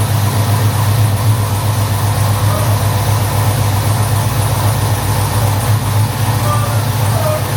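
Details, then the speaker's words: 2015 Chevrolet SS, LS3 V8 with BTR Red Hot cam and CHE trunnions, first fire after cam install: loud deep idle with uneven choppy lope around four pulses a second, running steady; normal big-cam idle. "Man, that sounds fucking awesome. Just had a successful first fire of my buddy Joseph's SS. 2015 SS LS3. It's got the BTR red hot cam, CHE trunnions"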